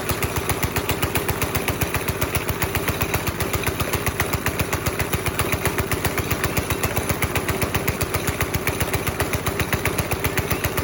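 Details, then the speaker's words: 5.5 hp Briggs & Stratton go-kart engine, pedal floored; chugs at steady low idle and never picks up because the throttle cable came loose, hanger out, no cable tension. Engine stuck at idle from slack throttle cable. "We have actually absolutely no tension in the throttle cable at all. So I'm gonna grab a couple tools and see if we can hook that sucker back up, see if that solves our issue. But we're obviously not getting any throttle."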